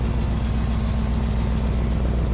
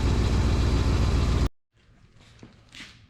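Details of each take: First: 2000 Chevrolet K2500 service truck V8 idling on jack stands after manifold leaks were fixed: heavy rapid low puffing from underneath, exhaust leak at the gasket between the first and second catalytic converters, spitting condensation. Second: 2000 Chevrolet K2500 3/4-ton service truck: even, deep idle with a steady beat and no ticking or puffing at the manifolds; an exhaust leak was found at a gasket between the first and second catalytic converters.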